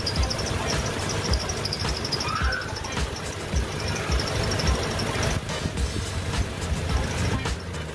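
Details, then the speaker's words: Car fan belt after silicone oil was applied; it had squealed after engine washing. Engine idles with a steady low rumble and no chirp or squeal from the front, so the belt now runs quiet and normal. "jika bunyi berdecit ini belum juga hilang setelah dilakukan pemberian silicon oil kita bisa memberikannya kembali pada bagian rel dalamnya pada bagian fan belt ini dan perhatikan suara akan menghilang dikit demi sedikit"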